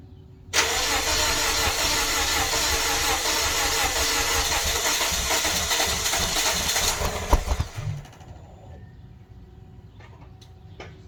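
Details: Toyota Corolla, exhaust view: starter spins about six seconds with ragged exhaust sputtering but never catches; cranks but won't start, owner suspects it was flooded as it later ran after sitting.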